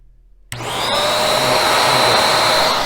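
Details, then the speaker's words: Bissell 1306 Multi-Cyclonic upright vacuum after cleaning and maintenance: motor spins up to a steady, even whir with a clean high tone and no pulsing or moaning; running better, normal. "all right listen for vader actually sounds like the motor is running better too much better"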